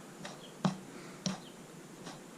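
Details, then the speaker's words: Speedplay Zero Stainless pedal turned by hand, feeling dry and overdue for internal bearing greasing: sharp little clicks about every half second, suggesting there is no grease inside; after grease injection it becomes smooth and quiet. "you can kind of hear a little clicking i don't know if you can hear that clicking that indicates that there's probably no grease inside"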